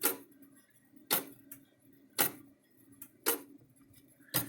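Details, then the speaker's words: The mechanical timer wheel of an electric fence charger gives sharp clicks about once a second, some followed by a softer second pop as it hits the backside. Its coil balance spring is stretched. "it bounces it back but it's so stretched out that it's not working right but it does come on it should there goes kind of hear it clicking"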